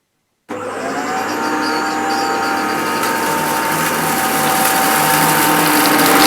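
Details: Maytag U5131 upright vacuum on living-room carpet: motor spins up to a steady high whine with a faint thin squeal on top; owner thinks the belt needs replacing and is causing the squeak.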